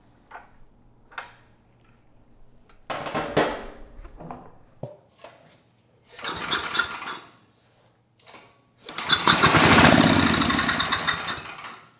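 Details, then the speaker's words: Tecumseh HMSK105-159913B engine on PM0525202 generator, low compression, running on starting fluid with no fuel supply: short sputtering bursts after each pull, catching one to three seconds then dying; engine shown capable of running. "nice I've got to say I'm a little surprised I was not expecting that so the engine it is capable of running"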